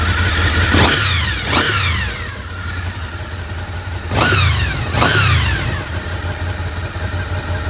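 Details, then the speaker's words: Honda VFR800FI Generation 5 idling after a replacement throttle body with working wax idle units was fitted; two pairs of quick throttle blips fall straight back to a steady, even idle with no hunting, idle now spot on. "You can hear the idle now sits absolutely spot on. You can now get on with restoration. Absolutely spot on."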